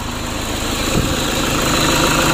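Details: Toyota Innova 2KD diesel running after engine rebuild, work not yet fully finished. Even, steady diesel clatter at idle with no misses or odd knocks; smooth, healthy idle.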